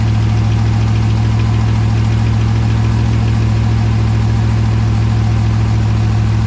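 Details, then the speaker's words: 2020 Dodge Charger Hemi V8 at 38,128 miles, idling after an oil and filter change with the oil still about two quarts low, checked for leaks: a deep, steady burble with even firing and no ticks. No leaks, idle is normal. "I don't see any links yet so that's a good sign definitely sounds like a Hemi actually sounds like a hit"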